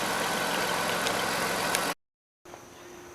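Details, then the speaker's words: 1998 Dodge Caravan after replacing rear spark plugs and plug wires, battery reconnected: steady, even idle with a smooth hiss and no stumbles or skips; misfire gone, engine running clean. "there's no mixed fire you heard it started there's running good"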